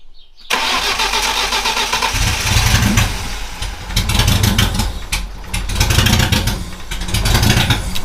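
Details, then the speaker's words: 316 turbo, first start after two weekends of work, battery connected: starter cranks briefly, then the engine catches and runs with uneven, surging revs; it starts but still needs a lot of tuning. "Bah les couilles, elle démarre!"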